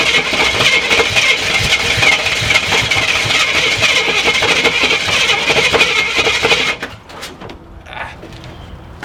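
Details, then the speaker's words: Long-sitting Jeep Cherokee Chief after adding about 5 gallons of fuel: harsh uneven sputtering run for about seven seconds then dies, carburetor pouring and leaking gas, gunk inside; carburetor flooding from stuck floats. "Oh yeah, that carburetor's pouring gas. Well, we know it runs, sort of."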